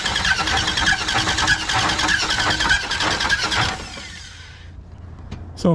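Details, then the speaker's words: Plymouth Duster engine still in the car, not yet torn down: harsh clacking knock about one and a half per second over rough running before it dies, pushing oil out somewhere low; heavy internal knock, cause unknown. "that sound when it's running it's pretty awful so not 100 sure obviously the engine's still in the car we haven't really dug into it we know that the thing is kind of jacked up"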